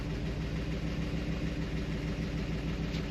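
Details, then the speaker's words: Car with a TH400 and a TransGo shift kit, sitting at idle: a light, fairly even clatter at about three per second over the rumble. Valvetrain clatter; owner plans to pull the pushrods and inspect, hoping to avoid getting into the lifters. "As you're sitting here, you can hear that clatter."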